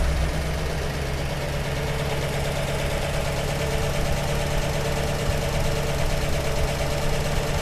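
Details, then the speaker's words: 1948 Buick Roadmaster Model 79 wagon, 320 cu in Dynaflash straight-eight, restarted warm after revival: starts instantly, even low steady idle with no misses or knocks; normal idle, fuel issue still to fix. "oh my god you hear how fast that started that's ridiculous okay we're in business here"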